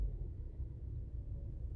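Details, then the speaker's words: 2014 Range Rover Evoque after replacing camshaft sensor for code P0016 (had idled high sometimes): starts fine, low even rumble at idle with no knock or hunting; normal smooth idle. "car starts up fine everything running well no knocking no no nothing no idling sounds good"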